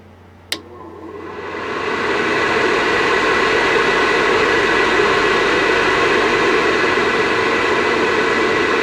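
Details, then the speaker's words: Vivosun 6-inch 390 CFM inline fan, unducted: click, then airflow rises over about two seconds to a smooth steady rush, no rattle or whine. Normal operation. "So that's its lowest setting right there. Not terrible. I mean, once you put ducting and maybe a filter on it, you won't really hear that much at all."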